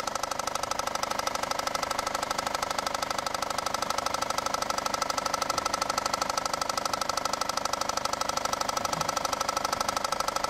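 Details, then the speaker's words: Engine idling with a steady, deep, even knock about three times a second from the bottom of the engine; another shop diagnosed rod knock. The real cause was a failed crankshaft pulley/harmonic balancer. "Now to answer the question, the failure on this one is the crankshaft pulley/harmonic balancer which I'm taking off now."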